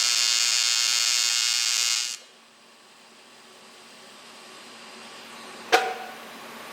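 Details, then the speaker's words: ProTIG 200 TIG welder after setup mistake corrected: two seconds of steady, even high buzzing hiss that cuts off cleanly; stable, healthy arc with no sputter or popping, far better than before. "well i gotta practice a little current control there that's working a hell of a lot better than it was before though"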